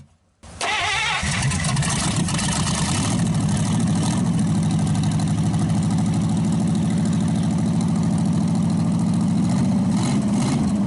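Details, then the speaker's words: Packard 374 cu in V8 catching and settling into an even idle after crankcase drained (about 5 gallons) and carburetor cleaned, fed from a small overhead tank: no skips, running on all 8 cylinders; still smoking from oil in intake. Normal idle. "It's running good now. It actually quit skipping. It's running on all 8 cylinders."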